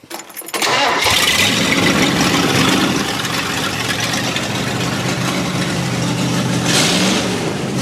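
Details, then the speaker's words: Ford 302 V8 in a chopped Econoline, open headers, after two-barrel to four-barrel carb swap; loud raspy blips rising and dropping sharply, more responsive and snappier than with the two-barrel. Normal revving. "Yeah, it does sound a lot more responsive, doesn't it? Yes. Like you hit it and it goes, wah!"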